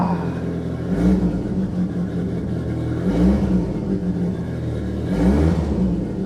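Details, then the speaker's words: Saab 900 Turbo with K-jet fuel injection, previously non-running, after K-jet repair: runs smoothly with three clean throttle blips about two seconds apart; normal revving, though the engine still has small vacuum leaks. "So the Saab is running again."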